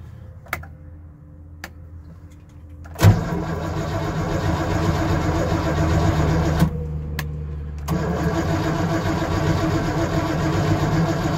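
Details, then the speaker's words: Car with solid engine mounts, no alternator, push-button start: engine catches after a short crank into a fast, lumpy idle with low rumble, shaking the car; idle too high, owner suspects choke since electric choke isn't hooked up. "I know the idle's up a bit too high. I'm pretty sure it has to do with the choke, because I don't have the electric choke hooked up."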